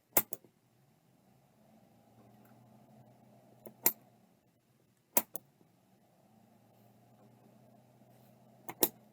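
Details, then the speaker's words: Seagate ST157R RLL hard drive on power-up: sharp clicks every few seconds with only faint weak motor hum between; keeps failing to spin up, stiction suspected, shaken to free it, not confirmed. "I think it has stion let me uh shake it around a bit h I can hear it start trying to spin but not much"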